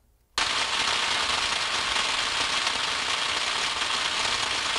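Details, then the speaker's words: 13.8 kV switch recorded by ultrasound: steady, dense crackling hiss with fine irregular snaps and pops, the characteristic tone of tracking discharge across insulation. "right you have the characteristic tonal quality of the snack crackle pop right and being a 13 8 switch this is getting measured"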